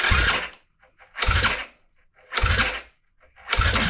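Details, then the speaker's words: Yamaha Grizzly 660 ATV being modified: four labored cranking bursts with the decompression adjuster turned in a little and plug fitted; better than before but still slow and hard, no start; a wiring issue remains. "Okay. So, that's definitely better, but that's not good enough to to use like that. That's still pretty pretty bad."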